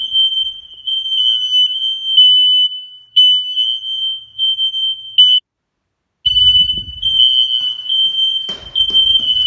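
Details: Newly installed smoke alarms under full-house inspection test, heard from multiple rooms including basement and bedroom: loud, steady high-pitched tone, briefly dropping out then resuming; alarms sounding normally.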